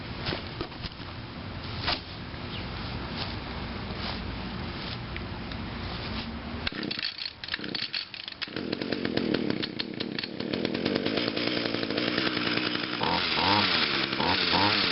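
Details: 2010 Echo HC 150 hedge trimmer, 21.2cc two-stroke, cold start on choke after seven primer pumps, having sat a couple of weeks: a few rattly pulls, catches on the third and settles into a steady buzzing run that revs cleanly; healthy start and run.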